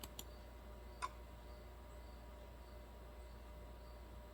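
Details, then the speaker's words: 2007 Pontiac Solstice with code P0442 EVAP fault: vent solenoid commanded on and off from a scan tool in a quiet shop gives sharp single clicks; the solenoid is actuating normally and is not physically stuck. "i did this with the think diag app on my phone and i could hear it in the guy's driveway yeah you can hear it definitely hear it over my mouse click so the solenoid is not physically stuck"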